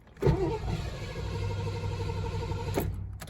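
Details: 1986 Mercury Capri 5.0, unregistered since 2003, during fuel system work, throttle held slightly open: starter turns engine steadily under three seconds with no firing, then stops; cranks but won't start, fuel pump or filter suspected.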